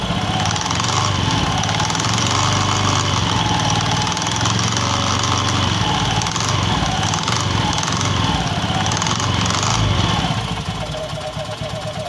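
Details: Honda Beat FI scooter: loose, irregular rattle from the rear pulley/clutch area of the CVT comes and goes over idle, consistent with mismatched clutch shoes chattering in the clutch bell.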